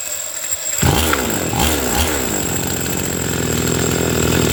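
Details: Chainsaw that would not start, after cleaning the carburetor and its clogged fuel passage: fires after a couple of pulls and settles into a steady, even buzzing run with no misfires; normal running.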